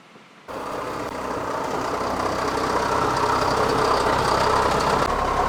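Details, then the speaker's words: 2006 Kia Sorento with random and specific misfire codes (P0300, P0301, P0303, P0305) and raw fuel smell: engine running rough and uneven with loose clanking and rattling; internal engine rattle suspected. "I am pretty confident that this car is not supposed to be making that noise. So, uh, this car runs terrible. It sounds terrible."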